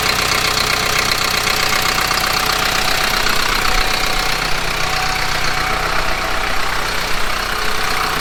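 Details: Kubota M15GX engine idling after a full engine rebuild, no coolant added yet; steady even diesel clatter with no knock standing out; owner wants to gauge actual oil pressure; normal idle.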